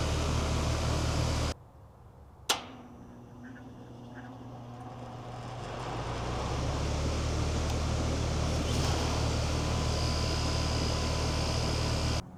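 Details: 3-ton AC condenser on off-grid solar after installing Micro-Air EasyStart Flex soft starter: click, then low hum building smoothly over a few seconds into steady even drone, no stalling; clean compressor start.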